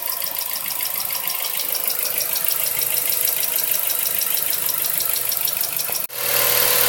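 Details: Mazda 3 1.6 idling after valve adjustment; two valves had been found with excessive clearance causing tapping: now an even, quiet idle with only light soft injector-style ticking and no heavy tapping; normal idle.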